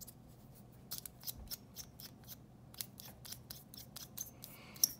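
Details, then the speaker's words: Squeaky mechanical pencil after graphite lubrication of its threads: dry thread ticking with only a faint brief squeak left, from the parts not yet coated. "pretty good huh it's still a little squeak there but most that will be part of the threads where i haven't yet added the lead"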